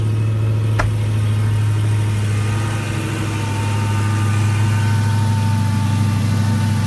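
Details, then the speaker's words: 2016 Dodge Challenger Hellcat after supercharger replacement for bad ball bearings at 4,800 miles, warming up, hood open: steady low V8 idle with only a faint, even spinning whine, no bearing growl; much quieter, healthy supercharger. "the sound is just a lot quieter of course you are still gonna have some sound of the spinning in there"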